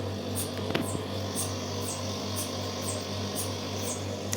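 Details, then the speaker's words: Superconducting gravimeter cold head just restarted with its cooling compressor after a cold-head change: constant low hum with a soft hiss pulsing about once a second, the regular cold-head cycle; sounds good, normal operation, helium loss still to check. "Sounds very good, like it's sticking. The hardware is successful, but we have to check if there's probably a jump in the signal, or how many helium we lose and so on."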